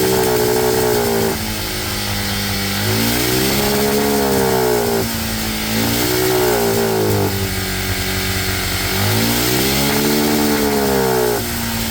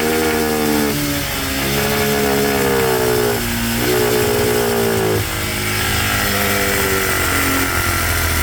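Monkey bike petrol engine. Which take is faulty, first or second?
first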